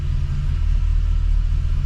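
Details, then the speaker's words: LS-swapped square body 3+3 V8 just after a cold start on a Holley Terminator X, alternator not charging yet; deep, steady rumble at idle with even firing and no knocks or misses. Normal idle. "And you can see by the battery voltage, we are not charging yet. We still got, he has to pick up a couple parts to make that happen. But it actually sounds really, really good."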